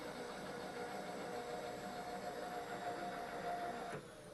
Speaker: you can hear the motor in the power feed winding down do that again and he it spinning down there